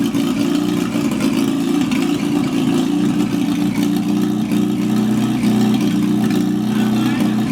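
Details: GAZ-69 first drive after rebuilt engine, gearbox and transfer case: steady, even low rumble at one speed with no knocks, misses or rattles; petrol engine idling smoothly.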